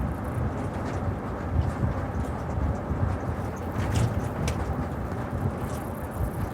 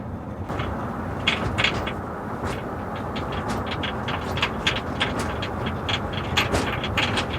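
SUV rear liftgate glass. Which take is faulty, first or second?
second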